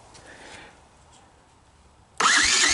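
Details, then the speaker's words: 1984 Honda ATC200ES Big Red ATV after repairing a hacked wire harness (owner suspects a bad relay was holding back the starter solenoid): strong, even starter cranking with no grinding or clicking; onboard CDI still faulty, no spark. "check it out, we even have a starter now."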